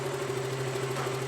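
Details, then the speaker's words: KTM Duke warm idle at over 81°, oil pressure about 20 PSI with oil filter installed, ambient 30°C, during oil pressure check after stator replacement: smooth even idle, steady low hum, no knock or rattle; healthy. "Bueno, como podemos ver, nuestra motocicleta esta en ralentí y tiene aproximadamente veinte psi (20 PSI) en ralentí, nuestro motor ya esta caliente, tiene mas de ochenta y un grados (81°),"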